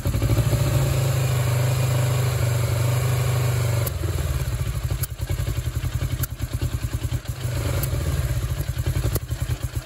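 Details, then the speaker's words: Suzuki GS500 after carburettor check, engine suspected flooded from leaking fuel: twin runs low steady beat then turns choppy, surging and dipping at idle; owner suspects it is purging flooded fuel. "yeah it uh definitely slowed down so I'm thinking that it's purging all the all the uh flooded fuel"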